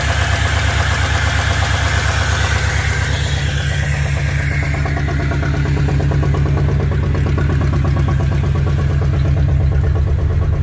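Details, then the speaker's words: Ford Fairlane V8 after engine install, earlier noise cured by fixing a worn distributor gear mismatch; steady open-exhaust burble at slightly high idle, lowest the poor carburetor allows, no ticking or knocking; owner suspects stuck thermostat, overheating. "oh all right well you guys you heard it uh actually runs pretty dark good um that's about as low as I can get the idle on it though without it it'll it'll die out"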